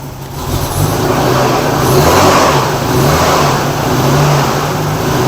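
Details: Nissan R31 RB30 inline-six petrol engine that had sat a long time, suspected gummed up. It idles rough and stumbles on throttle blips with a gurgly, uneven misfire before the spark plugs are checked.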